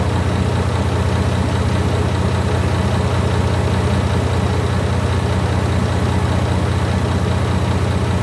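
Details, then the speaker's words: Barn-find Leyland Atlantean double-decker bus diesel, one of two stored in a barn (one since the 1990s), first run after revival. A deep, steady idle with an even beat of about 150 a minute and no knocks or misses; normal diesel idle. "Yeah, sounds like it's got a bit of juice there. It does, sounds like it's really good rock and roll."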